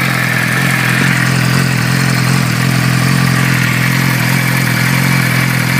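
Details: 2006 Suzuki GSX-R600 inline-four at idle with a few throttle blips: a light, fast tick riding over the engine; source unknown.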